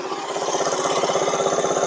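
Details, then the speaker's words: Small engine on a cheap buggy with CVT, after readjusting a loose, wrongly set exhaust valve: steady even idle with small revs, regular pulses and no valve tick; the separate full-throttle cutting out persists. "well now you can take a listen no more ticking"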